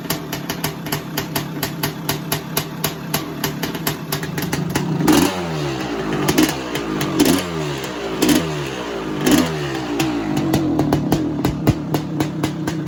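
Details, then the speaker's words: 1985 Honda CR500 two-stroke project bike, hard to kick-start, indoors: crackles and revs in uneven bursts, blipping and dropping back; it only runs on choke though the pilot jet is clear, and the tick-over needs adjusting. "it's so really running on the choke although the pilot jet is clear she needs the uh tick over adjusting really"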